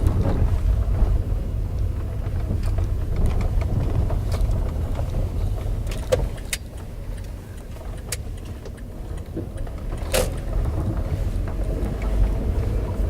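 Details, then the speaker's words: Front suspension of a VW Polo Sedan, out of warranty, with dull knocks since 10,000 km. On a rough stone road, irregular clacks and rattles come with each bump over tyre rumble, plus side-to-side sway and a loose feel in the steering wheel. Source unconfirmed. "массивная тут конечно сейчас вот такие вот волны мы будем объезжать вот слышите как громыхает и какая то вот раскачка появилась"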